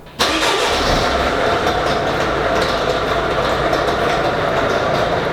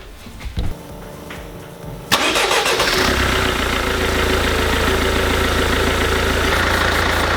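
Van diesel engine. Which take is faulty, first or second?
first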